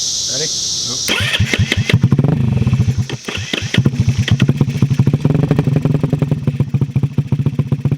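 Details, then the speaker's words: The Metruckus truck starting for the first time in almost 3 years, on a new harness: the engine cranks, catches at about one second and settles into a steady, even low thump at idle. The engine is healthy and holds idle. "we got life that thing sounds good"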